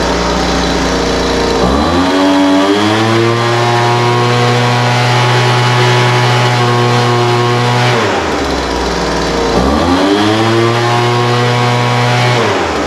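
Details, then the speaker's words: Poulan Pro 200mph two-stroke blower that did not run, after the carburetor was rebuilt and adjusted (rich idle mixture leaned out, top end tuned): revs cleanly up and down twice, steady high pitch between, no stumble or bog; running smooth. "yeah that sounds pretty good um carburetor needed just a little bit of adjustment the idle mixture was too rich so I leaned that out a little bit and then played with the top end until it uh hopefully you could hear it uh start running smooth after I adjusted the car rate a little bit"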